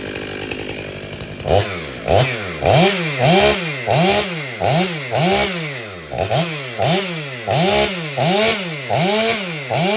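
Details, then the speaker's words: Ported Stihl MS500i chainsaw; crisp rev bursts about once a second, each climbing fast to high revs and dropping back cleanly; runs strong, much better than stock; normal strong running. "that's way better way better than stock this thing was weird and now it's it's better I like it a lot"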